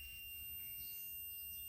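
A thin, steady high-pitched buzz holds while the lever is pulled, so the new brake light switch is closing the circuit.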